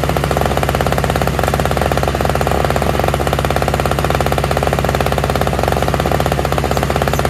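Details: Toro/Craftsman single-stage two-stroke snowblower with electric start, running on fresh mixed gas after priming; fast even popping at steady speed with no misses or surging; all it needed was gas.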